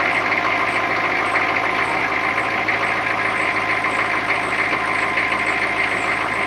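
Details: 2004 GMC 3500 diesel short bus idling right after a corroded, leaking power steering cooler was replaced and the fluid refilled: steady, even diesel idle with light clatter and no alarms; steering and brakes work better.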